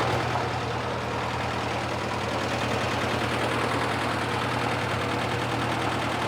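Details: 1955 Massey Harris tractor, previous owner couldn't get it running, restarted after fresh plugs, wires, oil and filter: busy, uneven idle with irregular chuffing and knocks. Owner suspects worn rings, seals, head gasket leaks or even a cracked block; runs slightly better than before.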